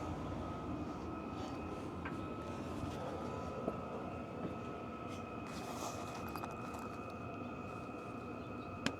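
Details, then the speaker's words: Vevor diesel heater, about a year old, Bluetti AC70-powered, for a CVT Mount Hood rooftop tent, just lit and exhaust getting hot: steady turbine-like fan whoosh with an even high whistle, no surging or popping. Normal running after earlier E01 low-voltage shutdowns. "kind of hear it kicking off over here sound of like a a turbine so that exhaust is starting to get hot"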